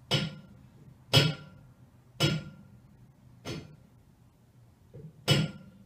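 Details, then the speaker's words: Heating system pipes, typically around 5-6 a.m. as heating starts up after the night setback: sharp, isolated cracks and snaps roughly once a second, like tapping a steel pipe with a hammer; cracking from pipe thermal expansion. "A sami jste asi dobře poznali, že se týká o teplotní dilataci. Tak, je to zvuk, jako když občas klepnete kladívkem do celové trubky, nebo když nahříváte kamna."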